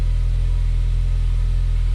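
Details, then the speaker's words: Ford Focus ST just fitted with a replacement K03 turbo, oil feed and gaskets, first cold start: steady low rumble with an even beat and no ticking or whistle, with high cold oil pressure and no oil leaks; healthy cold idle. "obviously cars cold so pressure super high and so far so good doesn't sound like oils leaking anywhere"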